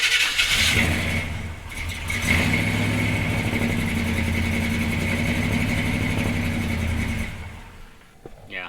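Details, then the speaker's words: 1976 C30 dually, 454 V8 with newly installed Holley Sniper EFI and HyperSpark, running lean and trying to learn: lumpy, uneven beat for about five seconds, then dies abruptly; stalls after start, cause unknown. "it's just shutting itself off i don't know why"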